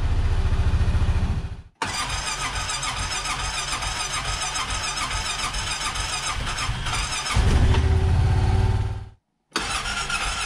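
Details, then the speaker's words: 2015-or-later Honda Pioneer 700 twin-plug single-cylinder, cold start after swapping stock NGK plugs for NGK iridium plugs: brief crank catches quickly into steady idle and refires readily on second crank; starts better on first turn, though owner doubts it's a full cure. "it did seem to start a little bit better uh and and it did fire you know on the first turn without me having to just crank and crank it"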